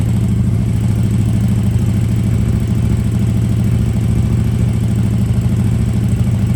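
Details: KTM RC8R with a swapped 2020+ third-gen 1290 Super Duke engine and electronics, first start after the swap: lumpy, even twin-cylinder beat with a deep pulse at idle, steady firing while revving; normal idle and revving, running cleanly.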